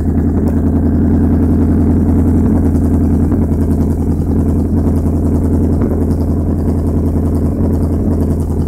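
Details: Vauxhall Corsa SRi x14xe engine with R6 bike carbs and Megajolt ECU: lumpy low idle with an irregular stumble every second or two; misfire traced to a broken HT lead, lean-running main jets also enlarged.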